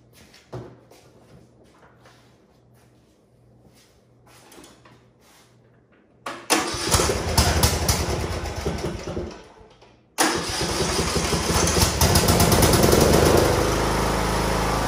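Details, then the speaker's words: John Deere LA102 lawn tractor, single-cylinder Briggs & Stratton Intek, runs fine revving high off choke but knocks when throttled to idle. Starts, then runs rough with about four knocks per second: significant rod knock at idle. "The engine sounds great when it's revving up high when you first come off a choke, but if you throttle down and get it to idle, well, just stay tuned. You can hear what I'm talking about."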